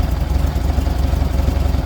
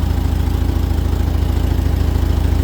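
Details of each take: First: 1978 VW Super Beetle flat-four with L-Jet fuel injection, after the over-advanced timing was retarded while aiming for 28–30° max advance. A slow, lumpy, low idle results, before the idle screw is raised to around 800 rpm. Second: 1978 VW Super Beetle with L-Jetronic fuel injection after timing and mixture tuning, with the mixture backed out half a turn because it was probably too rich. A low, even flat-four idle around 800 rpm with no hunting; normal idle.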